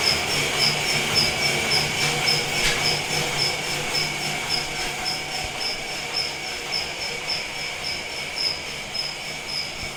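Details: Felting machine after being tweaked and repaired: even mechanical chatter at about 107 beats a minute with a thin high squeal, running steadily and no longer bouncing around as it did before.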